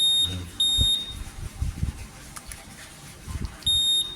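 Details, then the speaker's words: Motorcycle fitted with custom Honda PCX160/Vario 160 keyless SCU, remote-armed alarm: sharp high-pitched beeps in short bursts after buzzer re-enabled and alarm activated; alarm buzzer working normally. "Oke, aktifkan dulu remote-nya. Nah, ini dia bunyi lagi dia nih."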